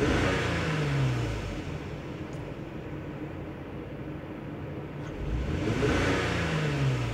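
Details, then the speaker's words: 2003 Lexus GS300 V6 with a misfire and backfiring at idle or low speed; scan-tool misfire counts point to cylinder 2 (suspects coil, plug, wire, injector or intake leak). Revving rises and falls with an uneven, stumbling beat and hesitation; possible ignition coil failure. "as I rev the engine up I do feel that hesitation that misfire alright so so far you know we have seen that number two is a pretty much the main cause"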